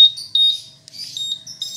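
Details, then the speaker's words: Honda PCX 150 2018 answer-back alarm after the volume was reset to medium (seat/storage opened, connector unplugged to finish): short clean high-pitched chirps at one steady pitch; normal beep at medium volume. "Oke, ukuran sedang ya suaranya."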